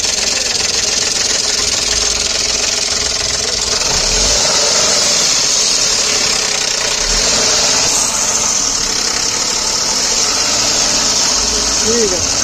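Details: A fast, uneven metallic rattle, about three a second, over the running engine right after start-up; a worn timing chain.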